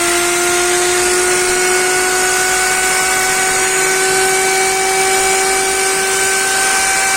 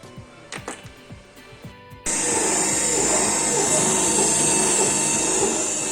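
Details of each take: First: Motor from a Candy GO F 107 washing machine whose drum won't spin, bench-run on 220 V with jumpers: a steady whine with constant crackling from heavy brush sparking; worn carbon brushes suspected, to be inspected. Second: Candy GO F 107 washing machine drum motor after swapping worn-out carbon brushes for donor-motor brushes: few light clicks then steady high even whir as drum turns; runs normally, problem was brushes.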